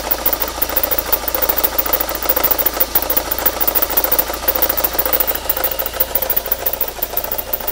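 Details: VW GTI 1.8T at idle, alternator suspected: steady idle with light fairly regular ticking near three per second; source unconfirmed.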